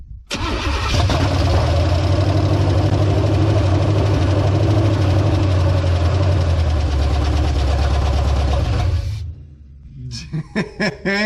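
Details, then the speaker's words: 1970 GMC engine fully reassembled after sitting out of the truck for several years, first start on fuel poured into the carburetor bowls: it catches almost instantly and idles steadily for several seconds before shutoff; the fuel pump is not yet filling the filter. "i wasn't expecting it to fire up that fast that's freaking awesome"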